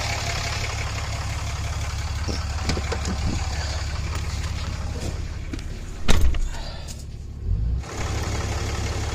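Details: 2014 Ram Cummins diesel after aftermarket VVT turbo actuator replacement, warming up with coolant just below add line: steady, even low rumble, no knocks or misses, a couple of brief handling clunks; healthy idle.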